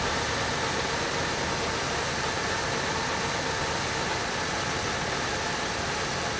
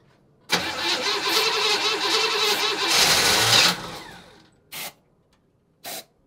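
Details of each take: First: 1965 Chevrolet Impala, first run after 20 years sitting, timing just set to about 30–32 degrees total with vacuum advance reconnected: steady, even idle, no misses, knocks or hunting for about ten seconds, then handling noise; engine getting a little warm, sounds healthy. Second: 1965 Chevy Impala after 20 years sitting: with brake cleaner sprayed in, engine catches roughly, revs unevenly about three seconds, then dies; runs only on the spray, later smoky exhaust smelling of gas.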